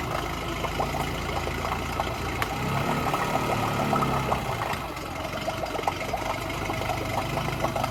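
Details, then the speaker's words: Yamaha 9.9 HP outboard in a water test tank that only runs with choke out and has a primer bulb that won't decompress: choke pushed in, idle sags and nearly dies before catching; suspected fuel starvation. "So it almost cut out as I put the choke in. As it was cutting out, I quickly pulled the choke out, and sounds like it's just about idling."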